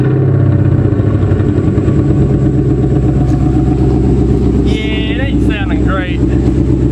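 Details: 1995 Ford Thunderbird LX that suddenly lost power on the road; lumpy, uneven idle with a stumbling beat as some cylinders drop out, misfire from water found sitting in the spark plug wells.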